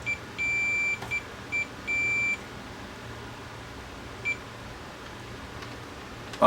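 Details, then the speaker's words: Pioneer VSX-522 AV receiver with standby power but won't turn on: continuity meter beeps steadily on testing, showing two front-left channel amplifier output transistors shorted and popped. "so it looks like two of the outputs are shorted these ones here these ones are popped"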